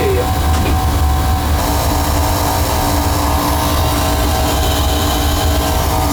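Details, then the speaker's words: Beckett oil burner on a no-heat call where it was tripping its reset; a constant thin whine over the steady burner roar and fan rumble, suspected to come from the burner motor rather than the pump, not confirmed. "I think it's coming from the motor not the pump cuz I did have a good oil FL last time I was here"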